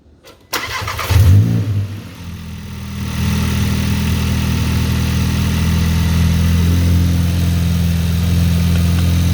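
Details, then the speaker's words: VW (DLB) 2023 with 23k km, during an engine rebuild, cold start after cleaning with brake cleaner and drying: cranks, catches quickly, flares briefly, then settles into a smooth, even idle with no ticking or knocking. Air conditioning was on, then switched off. "it's a cold start [Music] air condition is on air condition's on turn it off turn off the air [Music]"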